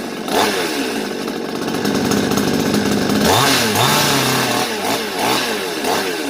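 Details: Svena 5200 chainsaw after carburetor adjustment for a no-start: two-stroke buzz picks up cleanly on each throttle blip and drops to steady idle; runs and revs normally.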